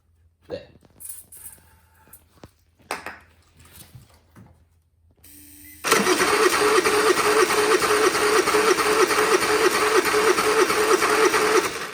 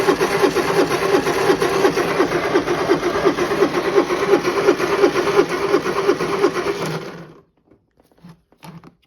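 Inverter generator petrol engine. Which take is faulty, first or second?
first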